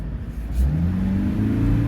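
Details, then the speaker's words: 2013 Toyota Prius hybrid on a warmed-up road test for a customer complaint of knocking/misfire at start-up. Smooth, clean pull as revs rise with no knock or rattle; runs good, concern not duplicated. "it's running perfectly fine I don't see no misfires or nothing taking it for a road test here"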